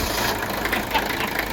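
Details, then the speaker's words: Freshly serviced Mercedes OM617 turbo diesel (front-end coolant service done, valves adjusted, injectors tested, spotless pre-chambers) starts after a quick glow and settles into a steady, even idle with light injector clatter, no knocks or misses; healthy engine. "we've completed all the front end coolant service adjusted the valves tested the fuel injectors and boy does this baby run smooth"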